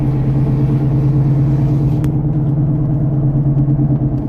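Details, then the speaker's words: Road testing a 2011 Toyota RAV4 at about 15 mph gives a low growl with some thump that rises with speed. It is louder steering left, quieter steering right; a right front wheel bearing is suspected. "Changes as I steer a little bit. A little louder as I steer to the left, load it up. Kind of a growl, but also kind of a thump."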